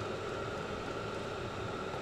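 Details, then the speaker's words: Vevor 5 kW diesel parking heater on kerosene, being shut down after under 5 minutes of running. Steady airy rush, faint fixed tone, no combustion rumble. Normal wind-down. "okay I'm going to shut it down again before I gas myself"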